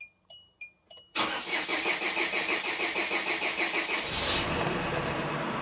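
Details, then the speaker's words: SsangYong Actyon 2.0 with a Mercedes engine and check-engine light, first start after all four injectors were replaced: dash chimes, about three seconds of cranking, then it catches into a steady idle. Normal start. "funcionou Olha aí funcionou funcionou funcionou e funcionou agora primeiro funcionamento desse carro"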